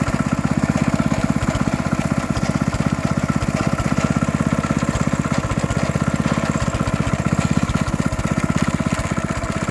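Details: 14-year-old Honda GX160 small engine running with an uneven internal rattle or grind over each firing pulse; starts and runs well, no smoke, clean oil, good compression; cause unknown.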